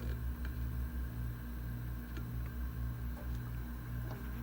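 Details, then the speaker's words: Known-good hard drive on a USB external adapter, compared against failing clicking drives: steady low hum with a faint even whir and no clicking or ticking; the drive spins up and runs normally. "so you see this one is working and not clicking okay"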